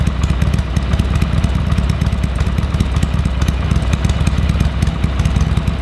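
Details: Harley-Davidson Sportster 883 barn find that sat over 20 years, fresh oil and filter, temporary carburetor fitted: loose, lumpy V-twin idle with steady low thump around three beats a second, running evenly; normal idle.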